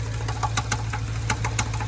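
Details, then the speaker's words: Jeep engine at low idle with sharp regular ticking about five per second, louder with revs and with power loss; owner unsure of the source but assumes a worn camshaft, previously told it needs replacing. "literally don't know what the heck that is and where is it coming from I'm assuming it's coming from the camshaft"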